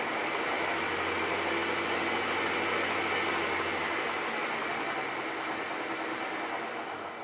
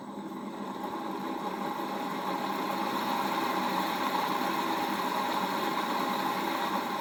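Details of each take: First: Bridgeport mill's replacement 1HP three-phase motor, cleaned up with new bearings, running on the VFD control panel: steady even hum with airy fan rush, no knocks or grinding; new motor sounds good, smooth and quiet. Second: 1HP three-phase motor for Bridgeport mill, apparently wired for low voltage, first run on VFD at low variable speed in forward, before bearing replacement: rising hum with rough gritty rumble as it comes up to speed; appears to work electrically but bearings worn.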